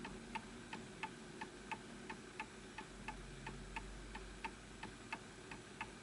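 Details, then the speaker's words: Antique Enfield Westminster chime mantel clock with pendulum/level slightly off: crisp ticking about three beats a second, tick and tock unevenly spaced; out of beat and will stop, probably needs a nudge to the right. "So this will stop because you can hear that it's off."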